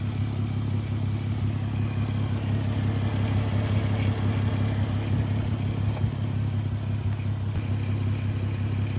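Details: Audi 3.2 V6 quattro donor, engine cold, given a couple of revs: deep throaty idle with raspy edge swelling as revs climb.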